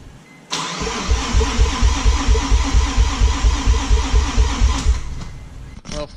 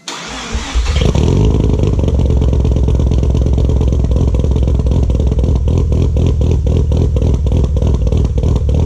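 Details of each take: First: Mazda RX-7 FD rotary cranks with steady even starter pulses about twice a second for four seconds but never catches. Owner blew a seal turning it over by hand, fears engine damage, and will change all four plugs though he doubts they are the cause. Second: RX7 FD rotary after replacing the bad trailing plugs: cranks briefly, catches, then a steady, lumpy burble with even pulses; still some blue smoke, thought to be leftover transmission fluid or oil, maybe bad fuel.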